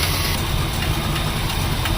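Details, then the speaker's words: 1972 Plymouth Fury ex-police cruiser, 440 big-block V8, stored nearly a decade, started on sprayed ether: steady rumbling idle with an even beat and no misses or surging, idling normally. "it's idling I can hardly believe it it's actually idling the thing just kind of going like this"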